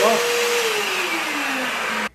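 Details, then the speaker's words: Hoover vacuum that would not pick up, after drive belt replacement: steady motor roar with tone gliding lower, then clean cut-off as the brush roller turns properly on the floor; normal running. "And now we'll bring it down to the floor, and you can see it turning just the way it's supposed to."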